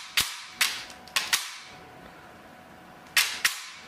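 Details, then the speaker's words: T238 tool with a new piston and a brushless motor fitted: six crisp snaps in quick pairs, only piston slap heard, with no gear noise or motor whir; normal, quiet firing cycle. "like I can barely barely hear anything but the Piston slapping like I don't hear any gear noise or anything now one from the motor nothing just the slap of the piston that's blowing my mind"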